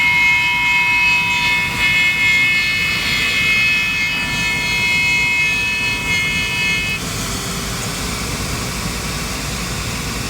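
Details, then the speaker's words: Trane gas rooftop unit (RTU): loud steady high-pitched howl from the combustion blower over the blower rush, stopping around seven seconds when the gas is shut off; caused by incorrect gas manifold pressure on the negative-pressure gas valve. "As soon as I shut that gas off, the noise stopped."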